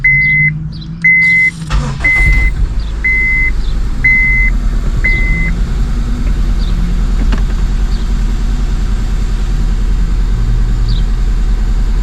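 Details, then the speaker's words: 2002 Honda Civic, codes P0300–P0304, after cleaning grounds and reseating injector and coil plugs: engine starts and idles lumpy and uneven, short-term fuel trim a little high, one cylinder dead; misfire at idle. "Still feels like it has a miss. Alright, well, I don't really know what I'm reading on that thing. Short-term fuel trim seems a little high, but we can tell out here that one cylinder's definitely dead."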